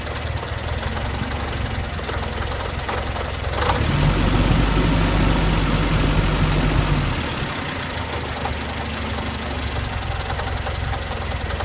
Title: Engine knock